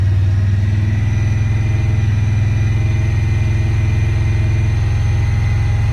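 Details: 2017 Honda Pioneer 1000-5 with 1,200 miles, code 9-2: a fast idle with a slightly uneven, lumpy beat underneath; high rough idle from factory over-crimped, broken wires at the idle air control valve plug, fixed by replacing and recrimping the plug.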